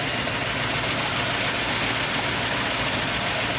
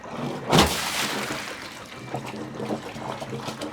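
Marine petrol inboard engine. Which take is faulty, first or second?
first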